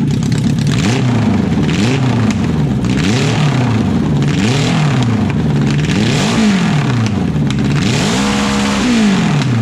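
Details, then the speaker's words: Renault 4L with FZR motorcycle engine on an open exhaust, fuel pump running, small leak; very loud raw exhaust with repeated uneven blips, engine stumbling. Still running poorly; owner suspects it needs time and some carb adjustment. "Ça tourne encore pas très bien. Mais bon, il faut le temps que ça se remette en route. Et peut-être quelques petits réglages de carbu aussi."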